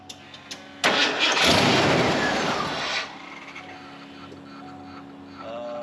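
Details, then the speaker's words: $500 Ford F250 that was taken apart and sat several years, with water in the cooling system and a weak battery. Starter whirs about two seconds; it wants to fire but won't run. Fuel is present; something is suspected to be disconnected. "All right, well, it wants to fire. Oh, there's fuel, okay. I feel as though something else is disconnected though."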